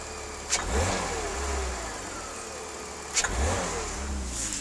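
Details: BMW E46 320i with M54 engine: a single sharp clunk from the engine bay each time the throttle is blipped from idle; owner suspects the idle control valve (ICV), unconfirmed.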